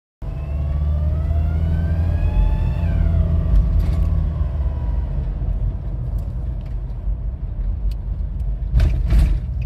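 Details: 2007 Nissan Pathfinder 2.5 dCi diesel: a thin squeal climbs in pitch as the throttle is pressed and revs rise, then fades off throttle; two workshops found no vacuum pipe damage, and the cause is unknown.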